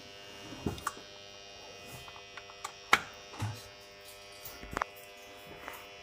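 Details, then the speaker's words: Battery charger for the APC Back-UPS 500 inverter setup, charging at full working mode after mains returned: faint steady electrical buzz at one pitch under handling clicks, normal charger hum. "так ну і так це все виглядає в своєму максимально робочому режимі зарядка Якраз зараз"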